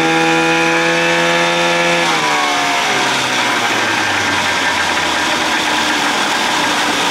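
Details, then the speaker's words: 1979 Evinrude 55 hp outboard, original carb, idle screw turned in, in neutral: two-stroke revs high and steady, then sags in pitch near two seconds, a surging high idle; owner suspects the float needle not seating and sucking gas. "i can i can tell by that noise float needle not seating sucking gas"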